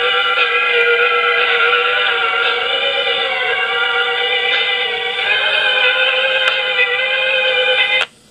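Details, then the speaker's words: 1960s Sears 8241 rim-drive 3-inch reel-to-reel playing tape recorded on a stable-speed Grundig: tones waver and wobble in pitch, wow and flutter from this recorder. "but you can already hear how much wow and flutter this recorder has because the grundagniki runs at a very stable speed"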